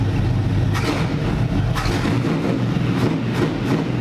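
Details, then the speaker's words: NASCAR V8 after swapping in MSD Blaster 2 coils, 14 degrees initial timing: even idle with quick clean throttle blips, no misfire or popping; the coil swap fixed the misfire. "Oh wow, just a little touch of the throttle. Breathe on it and it's revving up."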